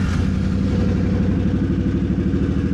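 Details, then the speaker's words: C50 during a rebuild, first start after cleaning the tank and installing a new fuel pump. A fast, even single-cylinder putter with steady firing pulses and no knocks or misses. Normal, healthy running. "she runs. Alrighty, let's pull her back in. She runs. Hell yeah. Sounds healthy as hell too."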